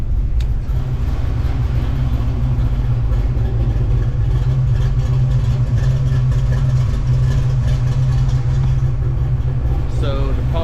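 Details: Foxbody Mustang V8 after injector and fuel system upgrade, idle raised on throttle body to about 950 rpm, warming up, low fuel making pressure bounce: smooth, steady low rumble, no dips, misses or hunting; normal idle.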